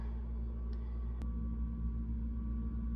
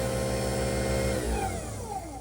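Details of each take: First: Garbage disposal in a rental house switched on: a steady mains hum drones with no spin-up or grinding while the motor nut under the unit stays still; motor stalled or jammed, reset switch and 6 mm Allen key checked underneath. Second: Newly installed replacement garbage disposal, first test run: steady strong motor hum, pitch falling smoothly as it spins down; running normally.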